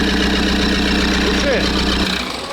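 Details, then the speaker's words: Rebuilt Toyota Land Cruiser Prado 1KD-FTV diesel on first start after rebuild with turbo and injector work: even, quiet idle clatter with no knocks or misfires, then shut off after about two seconds; runs normally and quietly. "Tout semble fonctionner normalement, les gars, qu'en dites-vous ? Doucement, silencieusement."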